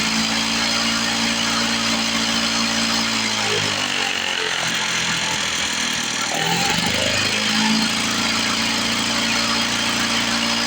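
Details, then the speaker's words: 1970 Lawn-Boy Buttercup two-stroke mower (model ~30237), run after carb spray cleaning: idle climbs and drops repeatedly, surging; owner suspects old gummed fuel or a sticking needle valve in the carburetor, otherwise running pretty good. "working through some carburetor trouble probably some of that old nasty fuel being a little gummed up you hear the RPMs going up and down up and down"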